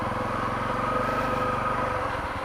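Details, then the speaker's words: Honda CRF250L dual-sport single riding slick wet woods trail, rear tyre sinking in mud; the firing beat slows and thuds heavier as the engine bogs down under load. "I'm actually sinking in the mud you can hear the bike bogging down right"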